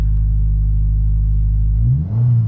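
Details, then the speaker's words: 2022 Subaru WRX turbo, still a little cold, parked on ramps, after Perrin charge pipe install: steady idle then quick clean rev blip dropping straight back without bogging or stalling, turbo spooling heard; no boost leaks, runs perfectly well. "And you can hear the turbo spooling and it's fine. Runs perfectly well."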